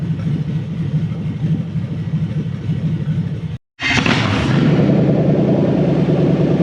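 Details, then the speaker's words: Toyota 3UZ-FE V8 newly wired to a Haltech Elite 2500 ECU with drive-by-wire but no idle control yet, warm: deep, even burble at a low idle around 500 rpm, steady with no misses, normal idle. "This idle's low, but it does actually idle now it's warm. It kind of, it idles at like 500 RPM."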